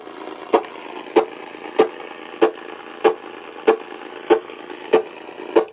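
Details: AM radio picking up sharp ticking pops about every 0.6 seconds, steady over the background hiss. The interference likely comes from a nearby Cen-Tech automatic battery float charger, Harbor Freight item 69955.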